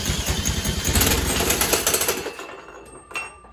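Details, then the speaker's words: Tecumseh H35 engine from a Sears mini bike ("ran when parked"), spun over with a drill after repairs. Rough, uneven chugging pops, then it dies away quickly: fires but won't keep running. "Not good, but it fired."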